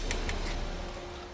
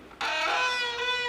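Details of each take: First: Bicycle disc brake tested after fixing a squeak and letting the brake cool. A couple of faint ticks, then the wheel spins down smoothly with no squeal or rubbing; the brake is now quiet. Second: Bicycle disc brake: a loud, piercing squeal held for over two seconds, its pitch stepping slightly as the brake is applied; glazed pads are the cause, contamination or glazing being the common culprits; disc brake squeal from glazed pads.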